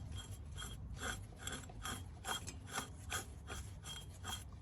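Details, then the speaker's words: 1978 Jaguar XJ6 Series 2 barn find, engine off, power steering pump pulley turned by hand: rhythmic dry rubbing as the tensioner bolt catches the pulley; this was the nasty dry noise when running, fix planned by shaving the bolt. "so you can imagine the sound so that's the the sound that was a bit of a nasty dry sound that it was it had when it was running"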